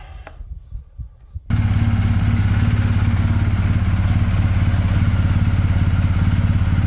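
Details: BMW R1250GS boxer after timing chain cam tensioner upgrade (part 11317108586) to cure engine tick: after a few clicks it fires and settles into a steady, even low thrum with no ticking; healthy idle, owner still finds it somewhat loud.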